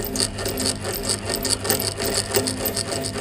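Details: Pedestal stand fan before repair: quick, uneven dry rattle, several clicks a second over a soft hum, from a loose, worn motor bearing.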